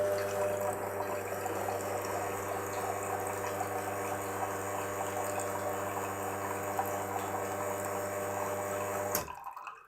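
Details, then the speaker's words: Wega commercial espresso machine, programmed dosing button reset from 3 to about 8 seconds. Even pump hum with water flowing holds steady about nine seconds, then cuts off cleanly; the timed dose works normally. "now putting out shut of approximately eight seconds which is really cool isn't it"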